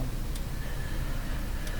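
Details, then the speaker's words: BSR A12 record changer in a Canadian Spartan Model 5542 radio playing a record: two sharp, light clicks about a second and a half apart over a low mechanical rumble, not from the velocity sensor, cause unknown. "I still hear the clicking it can't be the velocity sensor at this time something else is clicking"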